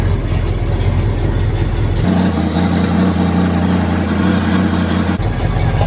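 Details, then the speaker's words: Exhaust leak on a 1979 GMC Caballero (G-body) big block V8: loud, deep rumble with a raspy, tractor-like chuff, caused by a loose header-to-exhaust donut that moves by finger. "so this is where my dad's exhaust is leaking so the donut I hope see the donut up there to join you at the Union from the header to the exhaust is actually loose"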